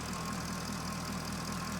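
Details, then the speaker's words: 2011 Chevrolet Corvette 6.2 L V8 with P0300 code and power loss, fuel pressure fine, warm idle: mostly steady idle with faint occasional dropouts in the exhaust beat. Slight intermittent "fishbite" misfire, cause not yet found. "This engine sounds good though. like sounds pretty good. Interesting. There's there's a there is a minor misfire like a tiny uh fishbite misfire."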